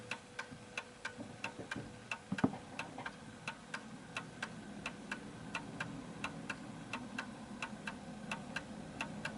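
Crisp clock ticking with a slightly uneven tick-tock rhythm, a mantel clock just out of beat.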